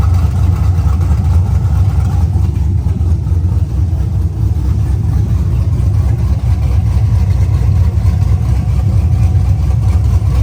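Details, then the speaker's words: LSA-swapped Chevelle on open headers with new spark plug wires after a starting problem: a loud, deep rumble with a steady, even lope; all cylinders are firing at around 300 degrees. "I do know that thing's getting some cutouts because that sounds too good not to roll into a car show sounding like that."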